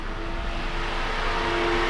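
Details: $50 car, scanner shows coolant 195°F but shaking the wiring harness makes the reading go wild: loud steady rushing roar with faint hum; cooling fans stuck on high from bad temperature signal, harness wiring needs repair.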